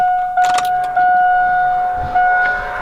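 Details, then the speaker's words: AirDog fuel air separator lift pump, key on with the engine off, before filter replacement: a steady high whine at one pitch, very pronounced because the filters are clogged and need replacing. "As you can hear it, very pronounced. It's the sound of the fuel separator, and you can see how pronounced it is because of the fact that the filters need to be replaced."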